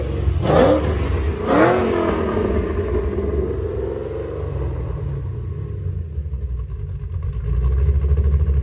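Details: 3V Mustang GT 4.6 V8, newly installed engine with new clutch, flywheel, headers and Steeda underdrive pulleys: two crisp throttle blips rising and dropping cleanly, then deep even burble pulling away, loud headers; normal revving, clutch smooth.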